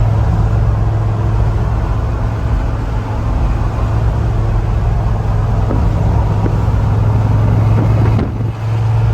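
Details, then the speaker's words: 1966 Ford F100 after exhaust leak fix and timing set, following test drive: deep, even engine rumble holds steady with a brief dip, then cuts off cleanly; sounds healthy, timing set perfect. "all right so got the timing done took it for a test drive and it is set perfect"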